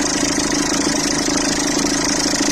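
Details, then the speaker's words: Citroën C3 1.4 HDi diesel, cold idle after starter refit: fast, even chatter over a steady hum, the tensioner visibly shaking; worn accessory belt tensioner, to be replaced with the belt. "Par contre, tordeur là, à froid, ce que je vous disais. La gueule hein."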